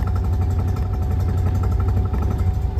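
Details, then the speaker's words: Classic car with AccuSpark BlackBox 3 programmable ignition (MultiSpark) at idle: once the vacuum advance threshold is lowered below tickover it cuts in, giving a deep, even rumble, noticeably smoother with no misses; normal idle. "so now you can hear or you can see well you can see and here the vacuum's cut in and the car's ticking over quite a bit smoother"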